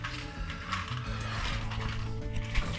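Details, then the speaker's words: Honda Civic Si during a clutch replacement, old clutch release (throw-out) bearing spun by hand: a rough, gritty rumble with an uneven ratcheting rattle; the bearing is worn. "Right now, I'm about to throw out bearing. Holy shit, this nasty looking thing right here. Oh yeah, you can hear it. You can hear the noise on that."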